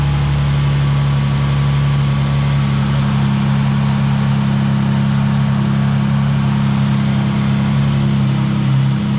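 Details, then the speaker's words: 2012 Dodge Challenger 3.6L, in for overheating from a loose crank bolt that let the balancer spin and shear its keyway; after the workaround repair and torqued bolt, belt and water pump turn; steady normal idle, slightly loud exhaust, no knocks or squeal. "Wow, that's loud. All right. So, the belt turns, the water pump turns, everything turns."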